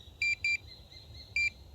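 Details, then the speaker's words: Minelab Pro-Find pinpointer tested on a pinhead sample, ring removed: two short high beeps, a gap, then one more; detects the small target only intermittently. "so pinhead again picks it up but it's a little bit uh i don't know intermittent"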